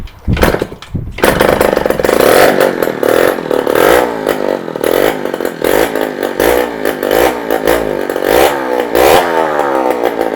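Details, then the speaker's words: 48-year-old Yamaha DT100 100cc two-stroke run with exhaust removed: crackles and revs crisply and freely through blips, idle still too high; confirms exhaust restriction from a piece welded into the back, to be replaced by a fabricator with a free-flowing section. "thank you it's definitely the exhaust so we've got to do is take that to a fabricator have the piece that someone's welded in the back of it taken out and replaced with something that's free-flowing"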